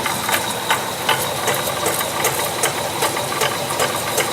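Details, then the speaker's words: Honda CR-V automatic, wheels off, in Drive: faint repeating knock about two and a half per second under a hiss, transmitted along the driveshaft; first thought a CV joint, later traced to the automatic transmission differential. "теперь посмотрите как стук передается по кардану слушайте"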